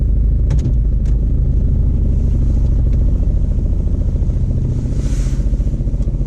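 Rough, clattery low putter that slows and loosens as the revs fall, with uneven pulses; abnormal running, cause unknown.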